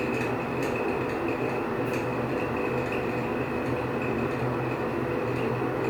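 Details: Older Nutone exhaust fan in a restaurant, dirty: constant high-pitched squeak over the fan's steady hum, never letting up while it runs; cause unknown.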